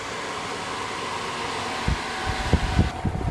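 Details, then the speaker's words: 1979 Lotus Esprit on a new wiring harness: a steady airy whoosh, then clicks and thumps as the relay-driven cooling fan switches on and runs normally. "Let's do the fan. All right, it's running through a relay. I heard the relay click."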